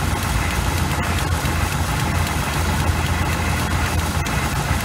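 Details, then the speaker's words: 1986 GMC with a small-block 400 V8 and Edelbrock carburetor idling at about 800 rpm: uneven, lumpy, shaky rough idle during idle mixture screw adjustment; cause not found. "it's running so rough that we kind of have to keep it like that whenever you get into it it seems like it runs better"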